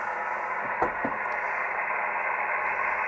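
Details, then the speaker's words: ICOM IC-751A transceiver after PLL adjustment: an 11 MHz RF generator signal injected near the antenna input comes through as harsh, scrambled hiss instead of a clean tone. Still distorted. "we'll go up to eleven megahertz frequency generator on and we're still distorted"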